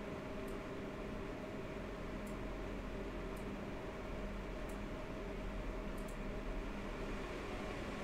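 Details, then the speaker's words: MSI RX 480 Armor OC 8GB graphics card under load: steady soft whoosh with faint low hum, no rattle, grinding or pitch wobble; normal fan noise judged very reasonable. "I feel like fan noise is very reasonable"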